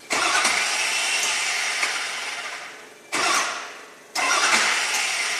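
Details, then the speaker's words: 2003 Ford F450 wrecker, 6.0L Powerstroke diesel V8, 56k miles, cranked manually with direct 12 volts: starter spins about three seconds, fades and cuts out, bites again briefly, drops out again; starter itself faulty. "No, the starter is still disengaged even with manual crank."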